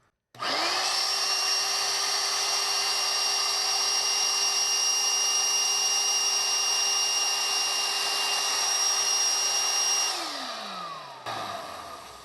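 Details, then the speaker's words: 19-year-old 2000 Dirt Devil Featherlite vacuum after repair, with brush springs re-tensioned and the fan not the fault: a high steady whine spins up, holds with no vibration or rattle, and winds down smoothly. Some carbon brush sparking is expected to settle as the brushes seat. Normal motor run. "So it's definitely running. It's not doing any of that kind of weird vibration or anything."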